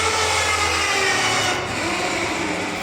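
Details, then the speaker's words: V8-swapped Mazda RX7 fuel system priming: loud steady electric pump hum with hiss tapering slightly; normal priming, pump just noisy. "that pump is freaking loud though was watching some of the videos on it earlier and that pump is really loud but it's not that loud in person"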